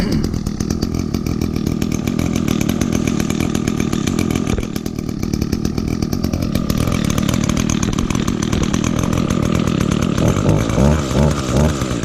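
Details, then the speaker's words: 2010 Echo SRM 225 two-stroke string trimmer, first start of 2019 on choke with little fuel, cold; fast buzzy idle with a slight sag midway, running a bit rough and boggy before it clears. "Let it idle for a little bit because it's a little boggy."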